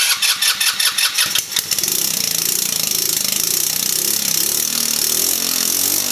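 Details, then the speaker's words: Backyard-find 150cc Velocity scooter, unstarted for about 34 years: spaced cranking pulses, then the single cylinder fires into a rough, unsteady putter on carb cleaner sprayed into the carburetor; owner suspects a leak. "as you can see that probably the first time that thing started in 34 years maybe longer so it does run"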